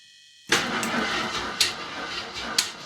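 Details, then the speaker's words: 1981 Jeep Wagoneer Limited AMC engine, after sitting 20+ years, cold start in single-digit temperatures with a dry carburetor: bursts into life with loud, harsh clattering and a sharp rap about once a second under the valve cover; bent pushrod at the rear. "What is that noise? I don't know. Like, it is loud. Yeah, that ain't good."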